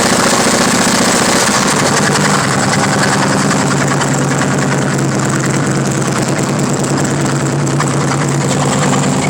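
Loud V-twin idle with an uneven tapping knock, about two or three a second; the source needs a closer check.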